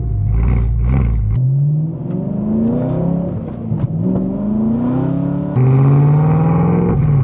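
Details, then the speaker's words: 2008 BMW E92 M3 V8 before exhaust replacement, driving through repeated rev pulls: loud raspy, harsh crackling unmuffled bark; muffler cut off and replaced with stick-welded parts-store pipe, rusted straight-pipe exhaust, obnoxiously loud. "which essentially they cut off the muffler grab some pipe from AutoZone and put it together with a stick welder they got from Harbor Freight and at least it sounds kind of cool even though it's obnoxiously"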